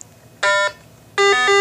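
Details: RATH SmartPhone 5/6 elevator phone during programming for the SoundNet call center: two short electronic beeps, the second a two-tone chirp, the normal acknowledgement after pressing enter on the keypad.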